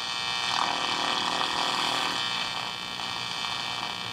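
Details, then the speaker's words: Capehart T-54 radio while tuning, after some mica capacitors were replaced: crackling and popping are gone but a loud, steady hum remains under hiss and static; remaining mica caps suspected for the noise, unconfirmed. "hum same as before actually it's not as crackly now it's just humming just trying to get a signal"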